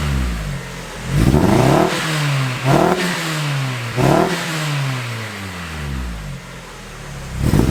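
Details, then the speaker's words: 1999 Miata, Chikara-built 1928cc 11.0:1 engine, first start after six years parked: several quick revs rising and falling unevenly with a stumble and clatter; misfire suspected from coil pack, noisy valvetrain. "hopefully that clears the misfire um but i'll give it a couple of misfirey revs for the camera if you can hear it"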